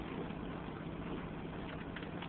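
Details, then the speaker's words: 1994 Chevy Cavalier 2.2 on a cold, wet day: worn, damp spark plug wires arc, so it misfires, possibly on two cylinders, and idles rough and uneven. "the uh ignition wires wires are a bit wet and they're arking so we got a misfire possibly two [Music] cylinders"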